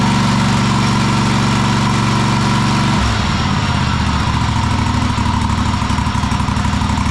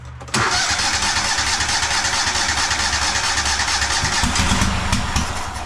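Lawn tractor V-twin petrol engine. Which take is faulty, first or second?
second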